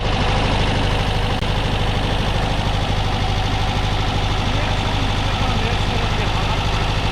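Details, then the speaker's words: Porsche 914 engine with carbs, being started after preventive maintenance: lumpy, uneven idle with a regular stumble, running on only three cylinders; a spark plug lead is off. "That three was three cylinders. That was 3 cylinders?"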